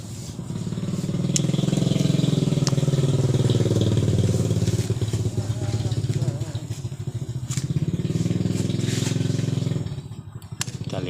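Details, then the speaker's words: Yamaha Jupiter MX New with an unserviced carburetor, spark plug and ignition normal: the engine revs unevenly, hesitating and sagging in the mid range instead of picking up cleanly; fuel is leaking into the vacuum area. "jika bagian patung tidak ada masalah kita akan langsung pembongkaran pada karburator kita lihat seperti ini teman-teman pakunya saya beri penerangan bercampur dengan bahan bakar mengalami kebocoran ini bercampur dengan bahan bakar inilah mengakibatkan motor mengalami Delay atau ngempos atau pada putaran Tengah agak get"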